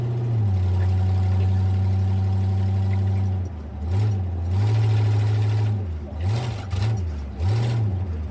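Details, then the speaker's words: Hot rod on its first drive of the year after winter storage, warming up: a steady low cruising drone that dips and surges several times over a few seconds. A clear engine stumble, cause unknown. "Hear that big stumble? Yeah, we got something."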